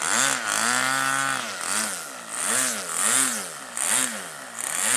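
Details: Model aircraft glow engine, possibly the Aero-star .40 after a glow plug change (Super Tiger or Thunder Tiger, unsure): a smooth high-revving buzz whose pitch swings with throttle blips and picks up cleanly each time. Healthy running.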